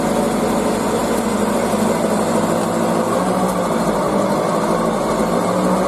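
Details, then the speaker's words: Hyundai car driving at road speed, noise from about 40 km/h growing loud by 50–80: steady hum and drone that builds with speed; dry wheel bearing lacking grease, to be replaced. "并且检查了，就是这个轮胎轴承响，跑得越快，响声越大。现在这个响声就越来越大了，因为里面缺油越来越严重，所以我们决定这一期把这个轴承更换掉。"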